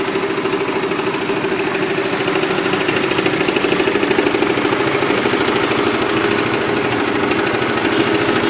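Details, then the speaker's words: Motorcycle, clatter present nearly a year; loud rapid mechanical clatter about three knocks a second while running, traced to wrong engine oil viscosity, not tensioner or cam chain; before oil change. "Yaitu video pertama di saat mesin suara klotok-klotok dan sangat-sangat jelas, dan yang kedua adalah video di saat suara klotok-klotok sudah hilang."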